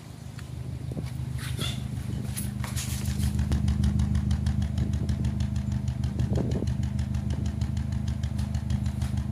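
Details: Turbo engine at idle after losing some power in an overtake: lumpy, loping misfire about three times a second from cylinder 3, which runs very rich with 3.2 bar compression versus 12 bar; exhaust smokes and smells of oil, valves and bores intact.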